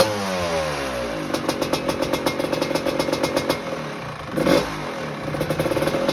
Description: First warm up of my Blue 1986 Maico GM Star 250 or M-Star as they were called in the USA, after fixing a head problem.